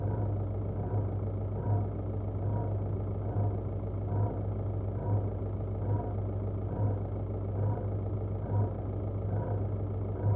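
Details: VW 1.9 TDI 105 hp diesel at idle, noise from the right side: faint soft knock about every two seconds over steady clatter; source unknown.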